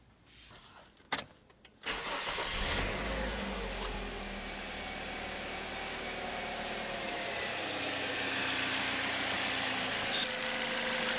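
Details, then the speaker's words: 2009 Toyota Corolla 1.8 L after replacing spark plugs and ignition coil for P0302 misfire and flashing check engine light: engine starts and settles into smooth, even idle, no misfire or shaking. "engine sounds a lot better it's not misfiring anymore the engine is no longer shaking"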